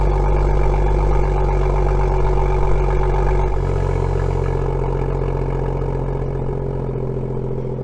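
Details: BMW M2 (N55) with M Performance exhaust, cold start idle with the exhaust tips removed: steady deep idle dropping to a lower even beat after a few seconds, no metallic buzzing, showing the tips caused the noise.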